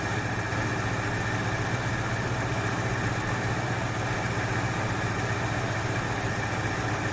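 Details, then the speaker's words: 1968 Ford Fairlane, flooding carb fixed: steady, even idle with a smooth low throb, no misfire; sounds better after correcting a backwards-connected line; fouled plugs suspected from rich running, a further tune planned. "well that sounds better so i think she fouled out a plug or two"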